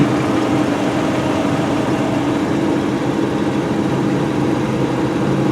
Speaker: You can hear it's on high idle right now. And you know how normally with a high idle you need to tromp the gas real hard one time to knock it down? Well, this one doesn't even require that much.